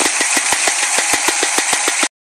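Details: Chevy Nova running after a drive around the block: sharp steady ticking about six or seven per second; owner suspects a stuck lifter, unconfirmed.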